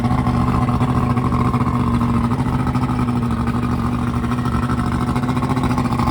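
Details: Carbureted outboard newly installed on a boat in place of a fuel-injected engine, test-run on a hose for a few minutes to check for overheating: steady even drone with constant low hum, no knocks or misses; running smooth and healthy.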